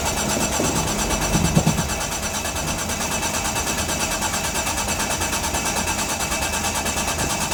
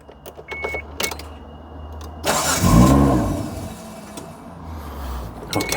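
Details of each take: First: 1995 Mitsubishi FTO GR, not started in 10 years, ignition barrel refitted: starter cranks steadily at about three beats a second but never fires; owner suspects the 10-year-old fuel is bad or low. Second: 1995 Mitsubishi FTO GR, first start after 10 years, exhaust broken at the rear, won't idle yet, fuel pump working: it catches quickly and gives a clean rev that settles to a steady even run with no misses. Sounds healthy.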